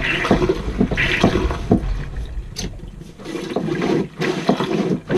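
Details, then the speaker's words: Jabsco marine toilet manual pump after maintenance, fitting re-tightened to stop air leak: steady rhythmic strokes about one a second with clean water rush, no air sucking; normal pumping. "Ah oui, là, il y a plus de prise d'air. Le bruit est propre."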